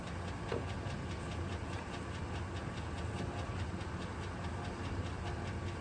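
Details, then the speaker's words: 1999 GMC 2500 LS V8 pulled for a 1951 Morris Minor hot rod, not run in a while, jump-started; light regular top-end tick over steady idle, valve train tick suspected; motor to be rebuilt with cam and probably pistons. "Had to bring in old 454 shop track to get her to start, but as you can hear, it's making a top end tick."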